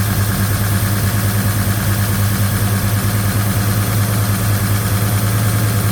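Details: Freshly rebuilt Chevy 307 V8 in a 1956 Chevy Bel Air, restarted with a new Holley 4150 double pumper carb and valve covers on: steady raised idle with a busy top-end clatter over the exhaust; the valve train is noisy and timing reads over 40° when revved.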